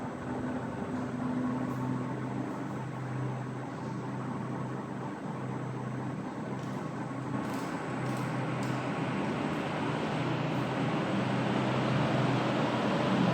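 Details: 15-year-old ceiling fan running on low and high speed; constant low electrical hum from the motor with a faint whoosh that slowly builds.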